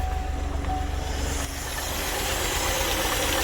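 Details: 2014 GMC Sierra 4.3L LV3 V6, 220,000 miles, P0300-type cylinder 1 misfire at idle: uneven lumpy stumbling idle with faint knock; compression good, broken timing chain tensioner found, chain slack.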